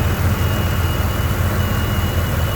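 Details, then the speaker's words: 1993 GMC Sonoma (S15), idling after the distributor swap: steady, even low idle with no stumble, miss or surging; it runs beautifully and has kept running past the point where it first cut out. "But, uh, you hear that thing running? She runs beautifully."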